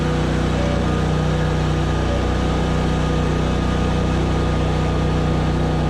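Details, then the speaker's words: ZT200 mower deck test: heavy low drone with laboured beat, engine loaded down because blades would not turn; clutch probably slipping, something in deck jammed. "okay we could hear it load the engine down probably slipping that clutch like crazy because it wouldn't turn"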